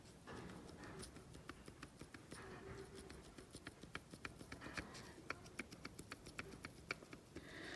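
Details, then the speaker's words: 1969 VW Beetle Type 1 1600 engine disassembled, connecting rod rocked by hand: sharp irregular metallic clicks; excess rod bearing clearance from burnt, pitted bearing, likely low oil or pressure; new rods likely needed. "so those are definitely rocking around in there so a little disappointing uh because i'll have to get some new rods connecting rods probably"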